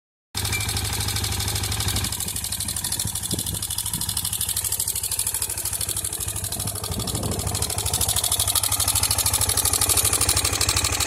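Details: 2003 KTM Duke II single-cylinder with HighFlow exhaust at idle: loud, fairly regular mechanical clatter about three per second over the exhaust, louder than the exhaust itself; owner suspects engine damage, source unconfirmed.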